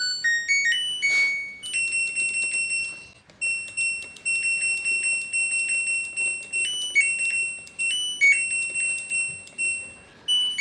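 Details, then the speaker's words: LG front-loading washer control module (Smart Inverter direct drive) after repair of a short circuit: clean electronic beeps and a short rising tune at switch-on, touchscreen responding; the module powers on normally again. "Dari soal percobaan ini saya bisa bersikan untuk modul mesin cuci ini sudah normal kembali."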